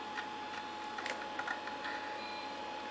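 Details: SyQuest SparQ external cartridge backup drive, disc just inserted: quiet room with scattered light ticks and short chirps as the drive seeks and reads; normal operation, disc then readable.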